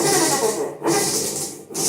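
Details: Electrolux LT15F washing machine only turns the agitator and won't spin: loud harsh scraping surging with each agitator stroke, about one every 0.9 seconds.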